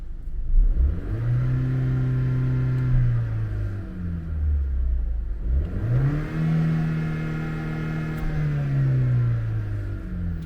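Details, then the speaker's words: Vauxhall Insignia 1.4 turbo petrol, warm, with Pipercross air filter after turbo V-clamp leak fix: two clean rev blips returning smoothly to steady idle, no hesitation or rattle; sounds about the same but breathes better; normal free revving. "It sounds like it's pretty much the same, but it's still, overall it's still better though, because you know the engine breathes a lot better now."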